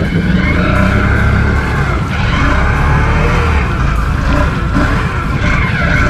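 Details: 2019 Can-Am Outlander on 29.5x8 Assassinator mud tires in thick mud, 2nd gear: engine labours with shrill belt scream from the CVT exhaust; belt slipping under load, primary clutch and secondary spring upgrade planned.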